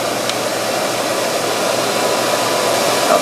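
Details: 1965 Monarch 10EE lathe blower motor newly installed, smooth steady rush of air through the filter with faint even motor hum, no rubbing or rattle; normal running.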